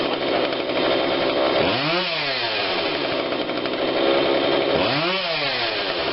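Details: Husqvarna 142 40cc chainsaw, long unused, after repair and carb tune-up while warm: revs blip up sharply and drop back cleanly twice, no bog or stumble; low-speed adjuster couldn't be turned but seemed not needed; normal running.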